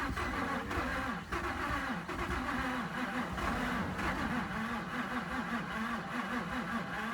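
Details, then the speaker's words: Subaru broken down at the roadside after major engine failure, smelling of oil: the starter keeps turning it over with a regular chug, roughly three pulses a second, but it never fires; cranks, no start, engine considered done. "Oh yeah, she's donezo. Yep, she's donezo."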